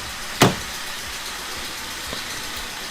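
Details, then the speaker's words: Abandoned Corsa engine after repairs, warning light now off: slightly rough on first start, then steady, even idle with no misfire, knock or hunting, one sharp click early; much better than before. "Now, I must admit, it did sound a little bit rough when it first started, but now it is idling. It sounds 10 times better."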